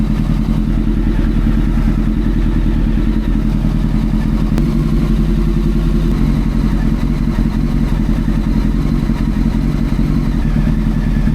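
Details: Old four-cylinder carbureted motorcycle after carb butterfly balancing and fixing a manifold air leak: even, smooth idle with no popping, flames or misses and level throttle response; normal running.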